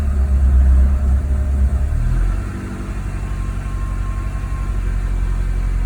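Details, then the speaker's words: MK2 Golf GTI 16v, nearly 200,000 miles, top-end rebuild in 2004 about 25–35,000 miles ago, cold start in garage: settles from high fast idle to a steady even low rumble, no knocks or misses; normal idle. "listen to that nearly 200 000 miles and it sounds great and it did have a top end rebuild 2004."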